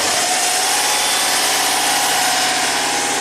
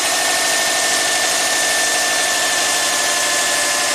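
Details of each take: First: 2005 Subaru Legacy Turbo, 82,000 miles, that barely runs with the alternator connected; idling after the alternator is unhooked: even, steady idle with a bright light hum, no stumble or misses; running smoothly. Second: 2005 Subaru Legacy Turbo, 82,000 miles, with the alternator connected: uneven, stumbling idle under a high whine that drops away partway through; barely runs until the alternator is unhooked. Cause not yet found.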